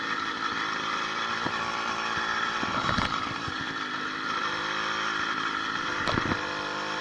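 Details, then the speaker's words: 80cc two-stroke motorized bicycle on a ride after fitting a new piston, rings not yet broken in, and an upgraded needle wrist pin bearing: steady buzz under load with wind rush, previous top-end pinging gone; pulls hills at 26–28 mph. "we'll just go for a little drive i don't even hear that top that ping ping ping ping ping sound with this new bearing in there"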